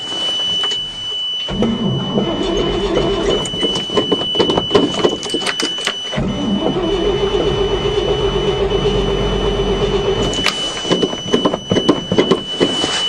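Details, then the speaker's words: 1979 Chevy dump truck with 427, winter, unstarted since June, new plugs and starter motor, choke on: long uneven cranking bursts, never fires; fuel pump not heard, owner suspects pump dislikes cold. "come on it's got new plugs new starter motor i don't think that fuel pump likes the cold damn it"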